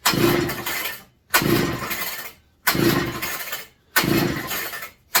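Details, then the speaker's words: McCulloch MC49 chainsaw, first run in over 40 years, fitted with a substitute 090 carburetor after a loose spark plug was tightened: short bursts about every 1.5 seconds that catch briefly and die; owner suspects flooding, possibly plug or ignition, unconfirmed. "thank you acting like she's kind of flooded reset gotta figure out what's going on here"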